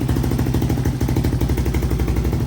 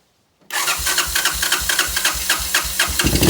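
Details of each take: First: 1986 Honda TRX200SX single-cylinder quad, idling: steady, even thumping with no misses or rattles; fires right up and runs pretty good. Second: Neglected 1986 Honda TRX200SX quad, first start attempt with carburetor cleaner sprayed straight into the carburetor: steady cranking, then it catches and revs briefly before dying; carburetor and fuel petcock suspected.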